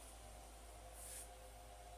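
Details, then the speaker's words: HP ProLiant DL380 G7 server with modded fan control set to about 80%, rack roof fan off: low steady fan hum, soft airy hiss, no rising whine; running far quieter, normal. "wait quieter and with the door closed you can still hear it but it's not nearly as bad that's fantastic"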